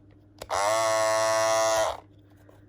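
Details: Andis Masters cordless clipper running with excessively loud, harsh high-pitched blade buzz, far louder than normal; barbers report these clippers get super loud after a few months of use; owner suggests a small spacer as a fix.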